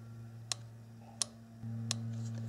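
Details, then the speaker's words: 1997 Nissan Maxima EVAP canister purge control solenoid valve, bench-tested with direct battery power for code P0443: sharp, distinct clicks about every 0.7 seconds over a low hum; plunger snaps cleanly, normal solenoid operation. "the valve is working correctly now if the solenoid valve in your case is not making any noise when you do this you've quickly pinpointed the problem you need to replace the valve"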